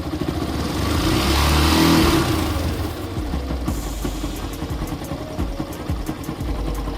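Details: Bike engine: revs rise and fall, then quick irregular clatter over idle about three raps a second, pointing to a loose flywheel magnet.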